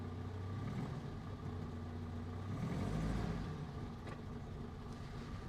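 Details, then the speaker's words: 1949 Canadian Morris Minor Lowlight, cold start with choke out, in neutral, heard also from the rear: low, steady, slightly lumpy idle; healthy cold engine warming up. "it's a little bit lumpy CH got choke out have a listen from the back as well"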